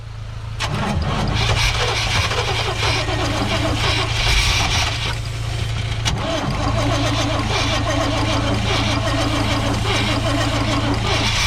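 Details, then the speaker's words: Lowered 1988 GMC Sierra 3500 bought with known issues, air filter off; starter cranks steadily at about 3.5 turns per second but never catches; no fuel delivery, suspected missing fuel pump; later runs only on starting fluid. "i mean well i mean any fuel going if it has no fuel pump it's gonna be hard for it to start i guess"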